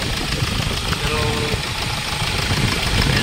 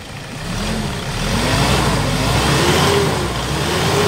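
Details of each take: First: Hyundai Starex diesel, recently overhauled after overheating, at idle: sharp, uneven knock over the diesel clatter about three times a second, with heavy vibration; injector return test points to leaking injectors. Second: Hyundai Starex Gold diesel, overhauled after overheating, after replacing fuel injectors: revs up and settles smoothly with no sharp rattle or knock; fuel knock gone.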